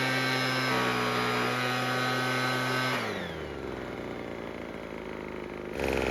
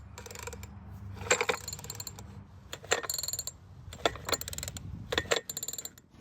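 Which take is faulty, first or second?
second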